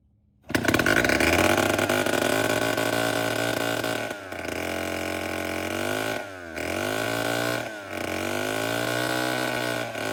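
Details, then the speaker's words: Vintage Homelite 7-19 (believed late 1950s/early 60s), carburetor cleaned but diaphragm still worn: starts and screams high, stumbles and sags twice before picking back up; uneven fueling from the worn diaphragm. "It's not perfect. It needs a new diaphragm put in it, but maybe hopefully it'll do good enough to where we can crank it up and run it for a minute."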